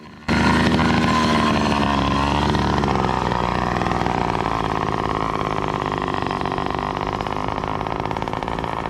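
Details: Loud two-stroke motorized bicycle with NT carburetor, small main jet, needle clip on second-richest position during tuning: idle hunts up and down instead of settling; erratic idle likely from too-lean mixture, new jets bought.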